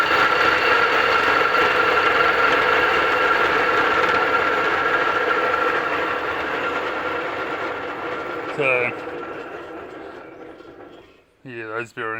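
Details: Home rock saw with long-noisy arbor bearings, run before refurbishing: harsh, gritty whine with fast regular chatter while spinning, fading as it coasts down; worn bearings, blade wobbling, bearings to be replaced.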